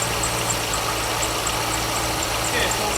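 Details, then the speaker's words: 2002 Corvette Z06 at idle with a squeak at the front of the engine: quick repeating high chirps that keep pace with the engine. Serpentine belt squeak. "so what we're going to do first of all is we're going to go ahead and on the main serpentine belt we're going to apply some of this soap and see if the noise goes away so i'm hoping that the camera picks up the squeaky noise"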